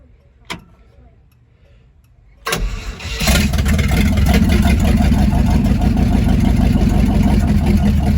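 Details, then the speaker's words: Chevrolet C50 truck engine on its first start, no gas pedal hooked up: after a click the starter spins it at an even three beats a second, but it won't catch. Oil pressure didn't come up, and the owner suspects it's out of gas. "crank it again the oil pressure didn't come up i don't know why hold it i think we're out of gas"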